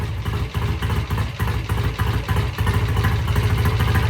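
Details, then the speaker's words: 1968 BSA A65 twin, cold start after sitting overnight, using a generous tickle on both carbs and a little throttle: it settles from a slightly lumpy, loping beat into a steadier, fuller idle with no knocks or rattles. Runs normally before a test ride. "right that thing sounds good"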